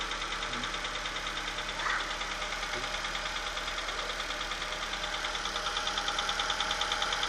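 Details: Astra engine just started and still cold: steady tick about twice a second over the engine hum; an abnormal noise, cause not pinned down.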